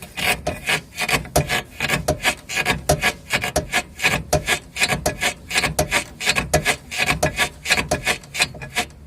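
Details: Rough, dry creak repeating about 80 times a minute as the front suspension is worked; the rear bushing of the lower control arm is torn, with a rupture found.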